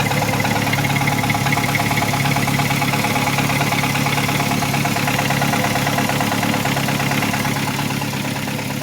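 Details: Nissan Versa with an existing rod knock, high-mileage worn spark plugs cleaned and gapped with little improvement, idling rough; steady even knock about three per second, suggesting a spun rod bearing; rod knock at idle.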